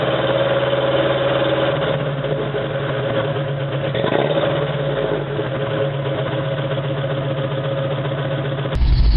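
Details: 1987 Toyota 4Runner, high mileage, cold start first thing in morning: rough stumbling idle still misfiring after 3 minutes, as if on 2–3 cylinders; cheap head gasket on rebuilt engine caused coolant loss, cracked head, coolant-fouled plugs.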